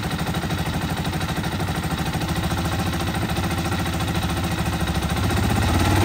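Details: 2021 Honda TMX 125, rarely used and hard to start, battery suspected weak, choke raised slightly: small single putters at a steady, slightly uneven idle and picks up a little at the end; the engine sounds fine, normal idle on choke.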